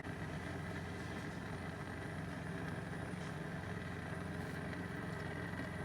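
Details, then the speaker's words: Masterchef gas BBQ after burner replacement, all burners lit: even, steady gas roar with blue flames, no sputter, pop or flutter; burners running normally. "sound like they're really going and the blue flames blowing"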